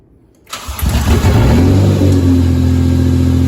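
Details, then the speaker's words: Nissan S13 240SX with a non-turbo 2JZ-GE swapped in for the KA24, first start on fresh six quarts of oil: brief crank, then catches cleanly and settles to an even, steady idle with no knocks or misses; healthy. "nice so give it a second he sounds [ __ ] healthy as [ __ ] leave it running give it a few seconds we put a fresh uh six qu of oil on this thing idle's down good"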